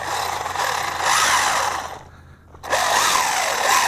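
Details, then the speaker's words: ZD Racing 10421-S B-10E 1:10 4WD RC car, T3650 3300KV brushless motor, 45A ESC, 2S LiPo: high motor whine rising and falling with throttle over a gritty grinding from the drivetrain while driving on dirt; cause unconfirmed. "I don't know if you hear that but I'm hearing some noise here hold on"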